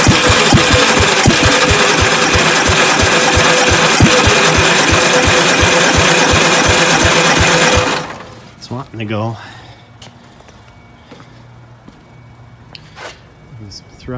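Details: 1965 Gravely L8 walk-behind tractor, first start attempt, choked, on starter fluid: single-cylinder chugs at a steady beat about eight seconds then dies, firing only briefly as if fuel-starved; sputtering run, cause unconfirmed.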